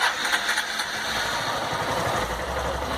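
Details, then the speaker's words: Honda Fan 160 single-cylinder, warm, in neutral, stock with factory valve settings never adjusted: smooth even low idle putter, no ticking or knocking; owner hears none of the engine noise others report for the 160. "Sinceramente eu não não escuto esse barulho né não tem nada nesse motor que me incomode assim de barulho entendeu"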